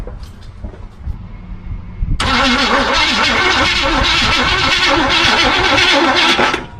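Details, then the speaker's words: 1976 Chevy Cheyenne 4x4 that sat in the bush, cranked on a new battery with the push starter button, fuel disconnected and ignition off: steady, even churning at about two turns a second, turning over freely without catching. "I can go ahead and see if I have enough juice with a new battery to get the motor to spin over by hitting the starter button."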